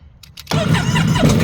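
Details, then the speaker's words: 2017 Sea-Doo Spark after the injectors and spark plugs were replaced: the starter churns the engine over steadily for over a second, but it never fires or picks up; cranks without starting. "I just replaced the injectors and spark plugs, and this is what it's doing now."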